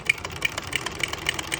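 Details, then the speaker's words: Vintage Singer buttonholer (Simanco 160506, low straight shank) stitching on a jeans waistband: quick needle ticks about six a second with uneven beats and skipped stitches, caused by too much presser foot pressure. "We've got those skips there. We don't want those skips."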